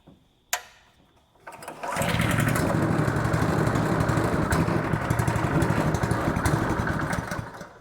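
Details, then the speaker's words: Honda GX200 water pump engine after carburetor work; pull start catches, steady slightly uneven beat near four per second; runs only on full choke, dies when choke taken off. "Yeah. See, as soon as you take it off, choke, it won't run no more."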